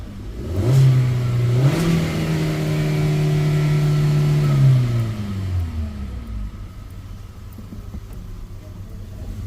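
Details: Hyundai Verna new model, petrol with CNG fitted, after new plug fitted and coils checked, check light gone: engine revs up cleanly twice and returns to steady idle, no stumble or misfire.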